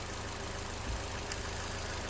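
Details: 2009 Ford Fiesta automatic, Copart salvage, after a full service; the water pump is new and the timing belt appears done. A steady, even, smooth idle with no knocks, ticks or misses; the engine sounds healthy.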